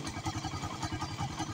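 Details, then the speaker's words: Raider 150 carb type after timing chain replacement, idling with no adjustment: steady, even single-cylinder idle with regular soft pulses and no ticking or rattle on top; chain noise gone, idle back to normal. "Wala nang adjustment. Idle. Ganun pa rin. Balik sa normal."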